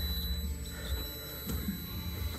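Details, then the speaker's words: 1978 Camaro steering column with a new G-Body style key-in buzzer switch (26022717), green and brown wire: faint, steady high-pitched buzz that stops when the key is pulled; the switch sticks shorted. "Let me pull the key. Buzzer goes away. Okay. I'll have to work on that a little bit because it definitely seems to want to stay shorted."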